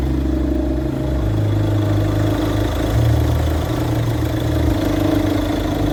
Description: destroyed alternator pulley clutch